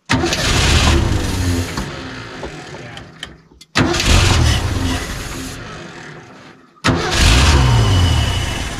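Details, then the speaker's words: Revived junkyard truck that fires right away: engine catches and roars on the key three times but dies as soon as the key is released from start; owner suspects the ballast resistor. "okay i know what's happening here um you're losing power as soon as i let off yeah let off the key it dies"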